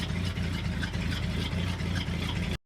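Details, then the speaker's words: 1966 Ford F250 carbureted V8, idling cold after the fuel tank reinstall: a fairly steady, throaty idle with even firing and no stumble. The exhaust steam is probably condensation from a cold overnight, and there are no leaks; a normal idle. "It's chugging away, I think we're golden."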